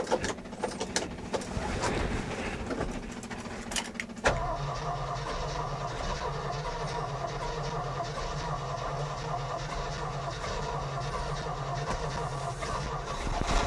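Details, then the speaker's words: 1981 Jeep J20 4WD pickup with a 360 AMC V8, first start after sitting: it cranks and fires, then idles unevenly with a stumbling, unsteady beat; oil pressure present, rough running, cause unconfirmed; fuel leak at the carburetor base. "hey we got oil pressure it runs just not very well"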